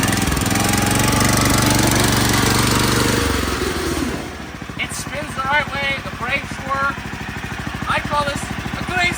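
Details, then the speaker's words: Restored go-kart with a 459cc motor and new wheels and tires, first startup: engine fires and runs strongly at a steady even high idle, then settles back; clean healthy start (top speed later found only about 2 mph). "success this works we're finally here we got the new Wheels tires and everything and this thing started"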